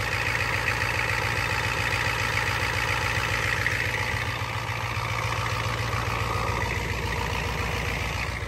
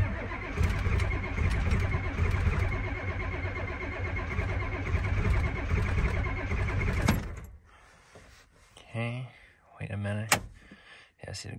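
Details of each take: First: Ford F250 7.3 IDI diesel, cold start with glow plugs not working: even diesel idle clatter at a steady, unhurried beat with no misses or knocks while warming up; normal idle. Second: Ford F250 7.3 IDI diesel, cold start: cranks steadily about seven seconds and never catches; glow plugs not working, fault in the glow plug circuit suspected at a ground, relay or switch, with a loose connection found.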